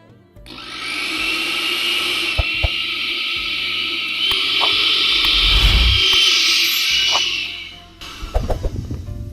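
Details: Kenwood blender after repair (it previously would not spin): high, steady motor whine spins up and holds even for several seconds without stalling or grinding, then cuts off; it runs properly.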